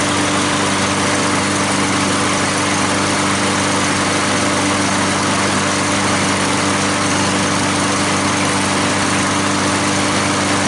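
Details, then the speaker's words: Curbside lawn mower after hammering back a piece that was hitting the blade under the deck: even, constant drone with no scraping or clatter; normal running, noise gone. "so i bet that little piece that was hitting the blade underneath there and that was fine"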